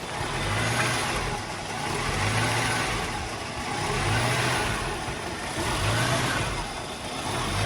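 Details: 1983 Mercedes-Benz W126 380SEC Euro spec, warm, in park: the idle swells and sinks about every two seconds as if about to die; the engine now stalls at stops even in drive; cause not yet found, OVP relay suspected.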